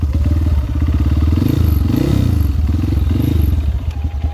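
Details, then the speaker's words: Honda CRF150L single after riding through a river, aftermarket exhaust; deep even exhaust beat swelling cleanly through repeated throttle blips, no knocks or rattles; engine sounds healthy. "sejauh ini knalpot paling gua suka ini guys suaranya adem enak digeber ngeblar ya guys ya tenaga keluar"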